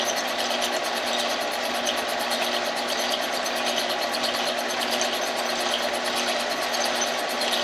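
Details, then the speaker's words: 1948 Kwik Way boring bar boring a chopper motorcycle cylinder. A steady cutting hiss with a light scrape pulsing about 48 times a minute as the tool barely contacts the wall about an inch down, suggesting an out-of-round bore with intermittent cutting. "okay I could hear that the putti trope is just barely making contact now with the cylinder wall and it's about an inch Bobby [Music] and that's telling that the cylinder is probably a little bit out around"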